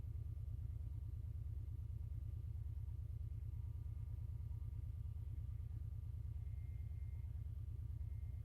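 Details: Subaru EJ201, cold engine at idle: a dull, even churning pulse about three times a second, like a blender or washing machine, starting at 0:25. Caused by a broken power steering pump.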